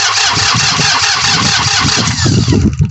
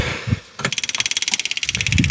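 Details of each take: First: New Holland Workmaster 25 tractor, 3-cylinder diesel, cold Michigan winter morning, crank no start: starter churns in uneven bursts with no firing; fuel not reaching the injectors after losing prime. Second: New Holland Workmaster 25 with a 3-cylinder diesel in Michigan winter, crank-no-start after water in the fuel: engine off, the key on gives fast, even clicking of about ten a second as the electric fuel pump primes normally. The system had probably lost its prime.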